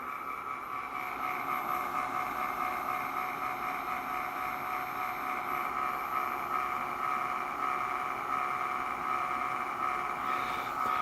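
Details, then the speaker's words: Sim2 Domino D80 projector after bulb replacement, running: thin steady whir with rough buzzy edge from the lower lamp cooling fan, likely heat-cooked, may quiet after running; noisy cooling fan, replacement being considered. "it's that lower lamp fan not entirely uncommon either thing does get cooked probably quiets down after it runs for a bit"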